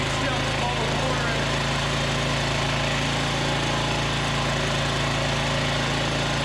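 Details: Polaris 300 Sportsman quad after engine rebuild, first start with the cleaned muffler refitted (soaked in a sonic cleaner). Even, steady single-cylinder putter at idle, no misses or knocks. Smoky and steaming from cleaning residue, but breathing better; normal idle.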